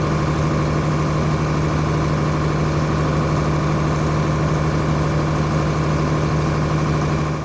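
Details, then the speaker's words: John Deere 4850 tractor six-cylinder diesel with white smoke and power loss, injector lines cracked one by one at idle: slightly lumpy beat with no pitch change at number 3, while 4, 5 and 6 change; dead injector. "Larry starts cracking injectors, goes 1, 2, and then immediately at 3, you hear no engine differential."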